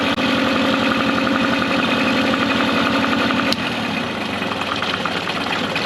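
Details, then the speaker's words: Mercury 9.9 hp two-stroke short-shaft outboard, believed early 1990s, after years of sitting; carb and plugs upgraded (owner says now 15 hp). After general maintenance, it idles in gear in a test tank with a crisp, even putter, slightly fast; normal idle. "just gonna let it idle here for a little bit in gear it doesn't sound too bad where it's at right now and it's coming pretty perfect"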